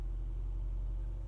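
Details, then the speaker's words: Manual car in first gear with revs just under 1.5 thousand: a low, steady hum dips slightly as the clutch lifts to the biting point and the car pulls. A normal, smooth take-up. "over one just under one and a half you can hear it lift towards the biting point I can feel it pull"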